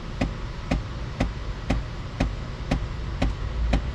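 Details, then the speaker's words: 2011 GMC Acadia with B0413 code, driver's vents stuck on full heat; during actuator recalibration after blend door actuator work and clearing codes, sharp even clicks twice a second behind the dash, suspected fresh air/recirculation door actuator skipping teeth at one spot, unconfirmed. "and is that nice you can hear One clicking on the other side that's probably the fresh air"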